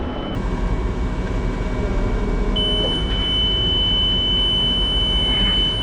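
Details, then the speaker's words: Merlo telehandler diesel idling: a steady, high electronic beep comes in as the boom lifts to height. "But right now we're trying to figure out this beeping that's going on when he lifts up the boom right there."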